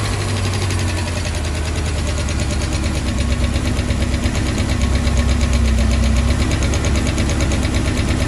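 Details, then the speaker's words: 1996 Bayliner Capri 2050 SS with a 305 Chevy V8, cold start: quick, light ticking over a deep idle, keeping time with engine speed. The rockers are loose with excess slack; after adjusting them it idles smoother. "Alright, it's a cold start. And you can hear them. I'm going to do a little redneck tighten. They're loose."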